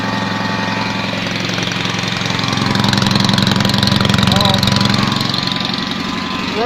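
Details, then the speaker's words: Invacar three-wheeler, revived after 14 years in a field and run on axle stands. It ticks over at idle with slow, uneven chuffing, about 220 beats a minute, and sounds like one cylinder because the exhaust is blowing. Finding: exhaust leak. "it sounds like one cylinder but that's because once a little blowing on the exhaust"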